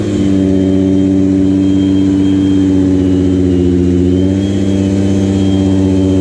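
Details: 1986 VW GTI Mk2 with used VR6 swap, cold start after a few minutes running: very low, lumpy idle with no throttle tension and an uneven beat like a cylinder dropping out; suspected misfire, unconfirmed.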